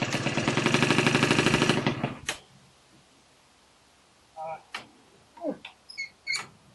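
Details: First start of an MT5 after renovation: small two-stroke buzzes with a quick even pulse for about two seconds, then cuts out; it fired and ran cleanly.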